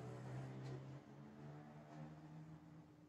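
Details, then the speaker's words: AIWA NSX-S333 sound system, tray opens by itself and reads no CD, after pressing open-close: faint steady motor whir and low hum that never cuts out; tray loading motor runs continuously and tray won't close. "I don't know if they can hear but the motor stays running and the tray doesn't close."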